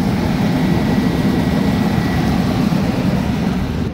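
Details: 2004 Ford Expedition 5.4 V8 idling after new alternator and serpentine belt: steady, even low rumble with no rattle, slap or chirp from the belt area; idles smoothly and sounds healthy.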